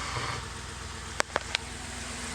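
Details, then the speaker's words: 2007 Ford E250 work van, 4.6L V8, automatic, low kilometres, seized A/C pump with belt removed; even, steady low idle with no knocks or misses, earlier roughness cleared up; normal idle. "This has the 4.6 liter V8. Runs pretty good, nice and quiet."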